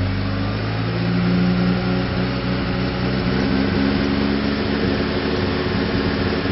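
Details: Nissan ZD30 diesel at idle, heard at the tailpipe: uneven stumbling puffs breaking the idle rhythm, with lots of unburnt diesel coming out the rear; misfire, cause unknown.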